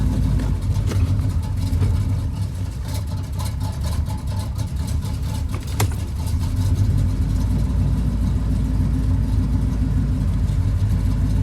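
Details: Pontiac Grand Prix G-body with cammed 305 small-block Chevy V8: lumpy uneven idle with irregular stumbles, rough at idle and stop-and-go; misfire, cause unconfirmed.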